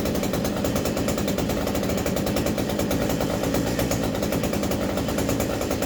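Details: New Hyundai 50cc petrol brushcutter, fresh fuel, primed, choke on: small two-stroke fires up at once, holds a steady fast even buzz with no misses or surging; healthy.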